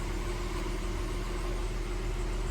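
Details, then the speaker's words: 2003 Audi A6 after sitting about six months, jump-started cold start: smooth, even low idle with steady hum, no knocks, misses or ticks; healthy idle, "running really good." "oh wow she's running really good sorry for the focusing what's going on here man that thing sounds so good that's a great running motor you know"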